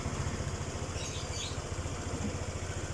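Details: Honda PCX with charging fault traced to a misplaced 25 A fuse, charging back to normal 13.1 V: quiet, steady idle with an even low putter about 3.5 beats per second, no misses; normal idle.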